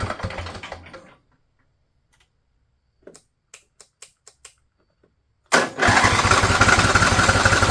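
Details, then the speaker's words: Husqvarna riding mower, Briggs & Stratton Intek V-twin, over 900 hours, new battery: brief ragged firing, pause with light clicks, then rough run that won't hold; getting fuel but not running on it. "let's try it now seen this moving before [Applause] it's getting fuel it's just not running off of it"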